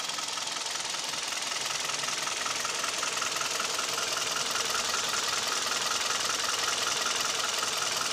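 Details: Hyundai/Kia G4KD Theta II engine, recorded from inside the cabin: steady, crisp ticking knock about two to three per second over a smooth idle with vibration; owner suspects piston knock, also heard at 1500 rpm; source not confirmed.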